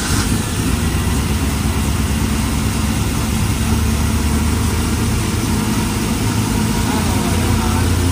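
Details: 1968 Suburban with an LS V8 swap, after fixing a loose ground, replacing the wiring harness and replacing the cam sensor: steady, even deep rumbling idle with no misses or ticks, starting easily. Normal idle.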